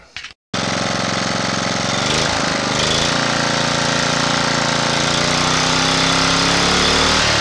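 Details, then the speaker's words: Honda GX240 after its carburetor idle-circuit passages and jets were recleaned, started with the choke on: it catches after a brief crank and settles into an even, steady run with no surging; the idle screw now works. "we're going to call that good for now maybe we'll put on something and run it someday but it's not surging and that screw does work"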